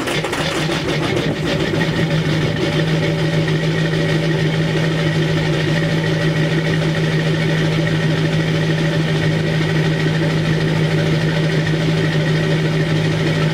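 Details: 2002 Chevy 2500HD LB7 Duramax diesel, 5°F cold start with Merchant high idle, Airdog lift pump, PPE boost valve and resonator delete; catches after a brief rough patch, then holds a steady, even high idle with no misses. Normal cold start and high idle.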